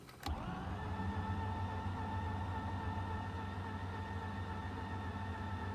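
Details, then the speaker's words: Mazda RX-8 rotary, bought as a non-start, cranked after sitting four days. Starter engages then drones sluggishly with a labored hum and no catch; the engine turns too slowly. Owner suspects a discharged battery rather than a weak starter. "So guys, does it sound to you like the engine is not rotating fast enough? It's like the starter is not spinning fast enough."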